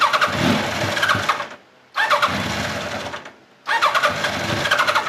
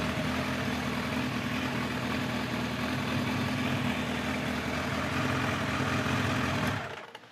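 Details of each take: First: 1989 Kawasaki ZX-10 (ZX1000) with Keihin carbs, on the enricher and running rich, catches and runs rough about 1.5 s, then fades and dies, three times over on throttle; the carb slow (idle) circuit is suspected. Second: 1989 Kawasaki Ninja ZX-10 (ZX1000) liquid-cooled inline-four, after Keihin carburetor work and new fuel hoses, in neutral: smooth, steady idle with an even hum, then shut off; runs clean, some smoke thought to be old crud burning off.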